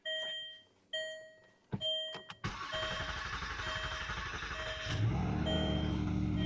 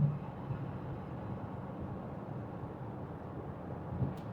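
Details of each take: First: 2009 Land Rover LR2, 3.2 L inline-six, 198k miles: warning chimes, starter churns about 2.5 seconds before catching, then a smooth idle with no ticks. Extended cranking; suspected loss of fuel pressure. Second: 2009 Land Rover LR2, Volvo 3.2 L inline six, 198k miles, not yet up to temperature, 60 mph in top gear at 1800 rpm: low steady drone with no knocks, whine or vibration; normal highway cruise.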